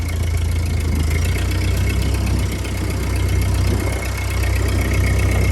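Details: 1949 Ford 8N tractor converted to 12 volt, started on hand throttle: deep, even low thump about four beats a second with no misses or knocks; normal idle.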